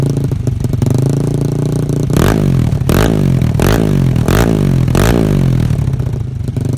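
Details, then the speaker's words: Yamaha Mio Soul carburetted scooter with DOHC head, 2 valves and 2 camshafts: loud, busy single-cylinder idle with quick throttle blips, noisy, like an Aerox; healthy normal idle. "Jadi untuk motornya sih kurang lebih suaranya emang beda ya. Iya. Kalau misalnya Mio karbu dengan motor Yamaha karbu lainnya tuh kalau di bore up ukuran 6 ke atas tuh kayak yang motor biru."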